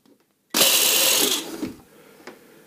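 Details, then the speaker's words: Tefal HB715 blender after replacing the failed motor coupling (bushing) with a homemade one, running empty: high, even motor whine for about a second winding down cleanly, no rattle or grinding; runs fine. "стала работоспособное устройство Вот видите всё стоит и всё функционирует"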